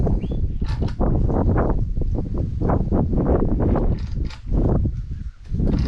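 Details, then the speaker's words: Engine and transmission pulled from a wrecked SRT4 that hit a tree, being test-cranked before installation: uneven whooshing compression pulses with air rushing through each stroke, like a tire leak; has some compression, possible leak unconfirmed. "it does have some compression i can hear the air pressing through it's kind of sounds like when a tower has a leak"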